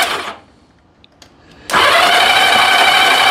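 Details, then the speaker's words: 1982 Honda Goldwing GL1100 barn find, sat about 20 years, weak battery, spark plugs removed: after a pause the starter spins the engine fast and evenly, light steady whir without compression pulses; old fuel smell, no spark: cranking with spark plugs out. "okay it cranks so let's put a spark plug in there to see if we actually have spark"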